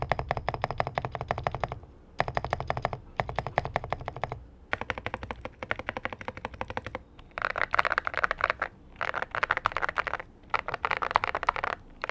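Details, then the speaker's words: Zuoya GMK87 TKL mechanical keyboard with Vertex V1 switches, fast typing: bright clacks, with larger keys giving a loose rattly buzz from the stabilizer wires; stabilizer wire rattle. "I can hear the irritating Rattle of the stabs, okay, the wire is irritating, okay, but that's what I feel"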